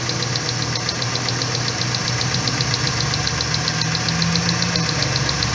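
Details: 2012 Dodge Ram whose complaint is jerking when hot, idling during coil 3 spark test; steady idle with fast sharp ticking and slightly uneven beat, deliberately induced misfire from spark tester.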